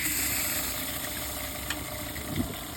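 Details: EccoTemp tankless propane water heater with 12V water pump, fed from a 20 lb tank and run on an Eco-Worthy 12V solar kit, tested before installing on a Macgregor 26X at max pressure, minimum temperature: steady flame hiss over faint pump hum, normal operation.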